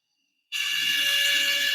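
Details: Woodland Mills RS30 Pro sawmill bandsaw blade sharpener, motor running normally: even, airy hiss with steady high tones; an overtightened pressure plate causes a slight whine.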